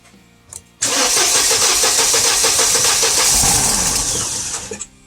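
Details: Mercedes SLK230 with starting-fluid sprays: steady fast starter whirr for about four seconds, engine spins but never fires; consistent with a dead ignition coil pack.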